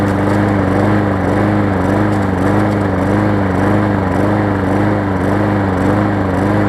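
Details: Hyper Tough mower, customer return with severely bent blade: engine runs with an uneven surging beat under two pulses a second, rising and falling instead of holding steady; not smoking, gas tank loose; rough running, cause unconfirmed.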